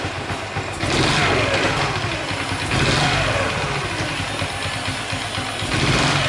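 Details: Honda Chaly engine after cam chain tensioner check and reassembly (bolt torqued to 22 N·m), revved with construction noise nearby: same light metallic rattle persists through throttle blips; source unknown, owner now suspects cylinder head.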